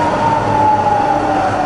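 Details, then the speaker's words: Rebuilt Bridgeport milling machine variable-speed head in high range, starting at 1300 RPM and run through the speed range: quiet, smooth spindle hum with pitch sliding steadily, no knocking or grinding; normal healthy spindle. "So firing up, we're at 1300 RPM. Hear how quiet that is, it's lovely and quiet, so all the way to the top."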